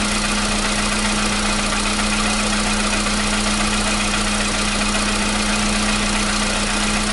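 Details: 2015 VW Polo Sedan at 76,000 km, new battery, cold start. For years it knocked only when cold, and worse on Rosneft oil. Steady, even cold idle with a smooth hum and no knocking or tapping as it warms; the knock has suddenly disappeared. Normal cold idle.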